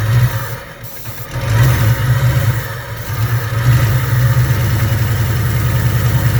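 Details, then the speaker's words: Fox Body Mustang V8 started for the first time in over 20 years after many parts replaced: low, lumpy burble settling into a steady idle after a few revs, running evenly with no knocks or misses; normal running. "oh i think we're good that's enough to me yeah i'm happy with that nick we made a mustang run we made a mustang run"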